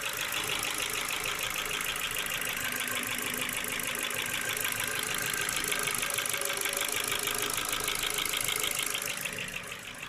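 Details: Ford Focus 2, 1.6 petrol, 100 hp, pistons and rings replaced last summer without reboring: fast, fairly even light ticking, about three per second, over a steady idle. Source unconfirmed; owner suspects valves or cylinder wear.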